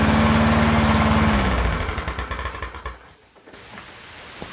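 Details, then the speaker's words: Used push mower started on quick-start spray: it chugs slowly and unevenly, then stalls within seconds because idle is extremely low; the governor bracket looks tampered with, and the fix is bending the tab upward for more spring tension. "Alright, it did fire up. The idle is extremely low."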